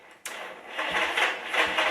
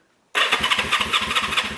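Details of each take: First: 1974 Honda CB360 on a battery charger, with the starter solenoid missing: uneven whirring as the starter spins the engine over without firing. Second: 1974 Honda CB360 motorcycle, coil and condenser removed: brisk even cranking pulses about five per second with debris blowing from the exhaust; healthy starter, normal cranking.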